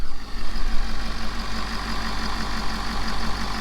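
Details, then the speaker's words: Ford F-550 Power Stroke diesel after low fuel pressure breakdown towing 30,000 lbs, restarted after changing fuel filters: steady, even deep idle with no stumble or surging; running smoothly. "alright boys listen to her listen to her purr"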